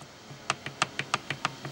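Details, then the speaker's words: Suzuki Samurai Trail Gear 4.9:1 transfer case apart, gears rocked by hand: sharp loose clacks about five a second; sloppy engagement of input gear to countershaft gear is the suspected source of the transfer case clacking. "but again the engagement with these gears is very sloppy and loose this is where that sound is coming from"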